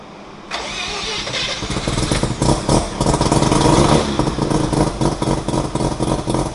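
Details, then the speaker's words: Mazda FC RX-7 rotary with a rebuilt engine, first start in 6 years. A brief crank, then it fires and settles into a steady, buzzy idle; normal idle, though the O2 reading is rich. "sounds [ __ ] good idling nicely O2 is kind of rich but that'll get figured out"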